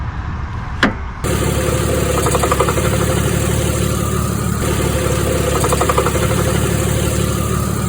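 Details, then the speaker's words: Vehicle idling with a wobbling A/C compressor clutch pulley: quick light knocking about four a second over a steady idle, also heard while driving; A/C compressor clutch pulley knock. "one thing i noticed recently when i drive is that i hear something go like knock knock knock knock knock knock"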